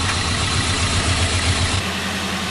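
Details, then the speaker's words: Lumpy, skipping idle with an uneven thump that runs better when cylinder one's plug is unplugged, while unplugging cylinder two nearly kills it; a bad coil pack is diagnosed, and a new coil fixed it. "Anyway, it's pretty prevalent for these to have a bad coil pack. That's what we're going to have to put on this one."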